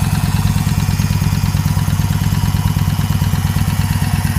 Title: Bike in Grass Hard Start